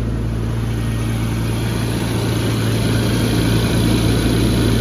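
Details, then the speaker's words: 1994 Jaguar XJ12 V12, engine bay, not a cold start: smooth even steady low hum idle, no ticking or puffing, after replacing all four exhaust manifold-to-collector donuts that made it sound like an army tank. "It sounded like an army tank, but now it sounds smooth as butter."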